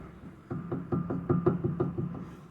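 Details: Front-end clunk traced to a worn stabilizer (sway bar) link, heard as quick dull knocks about five a second when rocked; lower ball joint and inner and outer tie rods checked good, no play.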